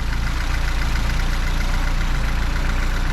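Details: Fiat 124 Spider 2000 after coil replacement, throttle linkage disconnected, idling smoothly and evenly at about 800 rpm with no stumbles or popping; previously wouldn't idle below 1100 rpm and backfired through carb due to partially working coil.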